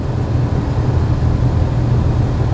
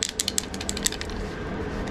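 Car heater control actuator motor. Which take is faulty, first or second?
second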